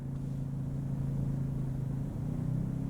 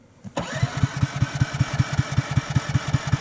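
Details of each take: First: Ryobi 2300 inverter generator, auto idle switched via the GenControl app, running a small load of about 60 watts: steady low hum, then pitch climbs after about two seconds as it revs up out of economy idle; normal. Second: Ryobi 2300 inverter generator, electric start button, about 10°F outside, warmed in a car beforehand: starter cranks steadily about two and a half pulses a second for five seconds, never catches; reluctant cold start.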